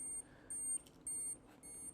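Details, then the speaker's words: Olympus XA 35mm rangefinder self-timer: short high electronic beeps about twice a second in a quiet room, roughly 15-second delay on this camera versus 12 in the manual; normal countdown. "you see the light and you hear the beeps now according to the manual it's about a 12 second delay according to my particular camera this is a more of a 15 second delay"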